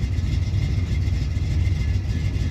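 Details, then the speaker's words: Camaro V8 with newly installed Aces EFI, idle target set at 850 rpm: deep, uneven lumpy idle sagging low as if about to stall, smelling of fuel; owner suspects running rich, perhaps too much fuel pressure. "Sounds a little rough. It's dropping a little too low."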